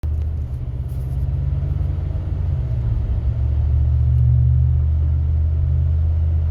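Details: One-year-old 2019 Ram driving: deep steady low-frequency hum and droning boom in the cabin; dealer could not replicate, advised cracking window or tow/haul mode; unresolved.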